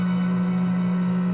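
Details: 1952 Mitchell clock radio Model 1267 during restoration: a steady low AC hum that stays with the volume turned fully down, from bad filter capacitors (50 µF and 30 µF electrolytic).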